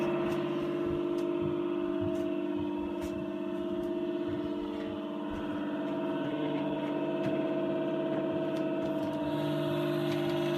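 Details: NewAir AWC-270E: steady high whine over a soft motor hum from the failing 80 mm 12 V 0.08 A 2-pin cooling fan (TD8020LS); the fix is swapping in a replacement fan.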